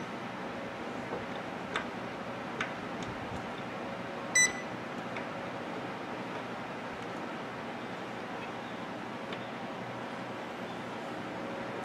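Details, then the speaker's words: Sharp Carousel microwave, after fixing the cause of heavy sparking and loud noise, runs with water inside: steady hum, no crackling or arcing, two short beeps, no burning smell; water comes out steaming hot, normal operation. "put the water back close the microwave and run it for a few seconds and you will see the difference there's no spark there's no loud noise and there's no bad smell"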